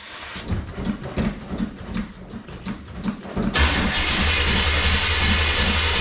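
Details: Vehicle that had sat about one to two months, cold start: slow cranking under three turns a second, then it fires into a loud, steady, even idle through open pipes with no mufflers; normal start and idle.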